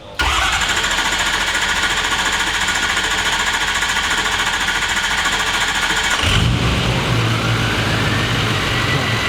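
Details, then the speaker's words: Adventure bus turbo engine, reinstalled after a bad cam was found, catches and settles into a loud, even, steady rumble with loud turbo; no knocks or misses, sounds much better. "Oh yeah, that sounds so much better now. Hell yeah. That's so loud. Oh my gosh. That turbo is so loud."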